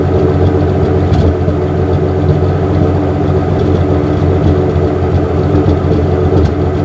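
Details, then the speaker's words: 1963 Ford F100 engine idling after timing, air-fuel mixture and manual choke adjustments and a new plastic fuel filter that cured stalling; smooth steady low idle, even light patter, no misses or knocks, running like a dream. "With this new plastic one I've got on it, it is running like a dream."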